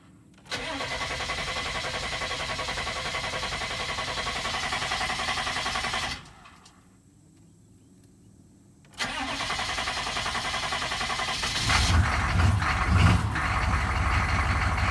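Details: 6.5 Detroit Diesel with new PMD, long even cranking, pause, more cranking, then stumbles to life and idles unevenly with little power, stuttering and stalling; hard start from failing injection pump, fixed by replacing the pump.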